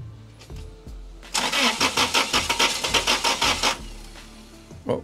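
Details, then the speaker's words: 2007 Toyota Tacoma that shakes and stalls with intermittent dash lights, at about -20°: sluggish starter chugging about three beats a second, never catches; slow cranking, battery suspected weak from poor charging, started with booster pack. "creo Creo que la batería si no equivoco ya está un poco débil pues por lo mismo que no estaba cargando bien"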